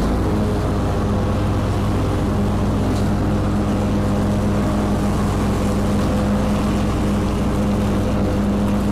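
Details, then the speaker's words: Kubota Z122R mower after new carburetor and new fuel filter, cutting grass: steady, even drone with a firm low hum under load, no surging or hunting; healthy running. "new carburetor new filter runs great now i'm cutting grass mama's happy i'm happy"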